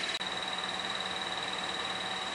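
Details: Clutch throwout bearing chirp on a 2010 Toyota Corolla, before replacement: thin steady high-pitched chirp over a quiet idle, heard only with the clutch pedal fully released and the car in neutral.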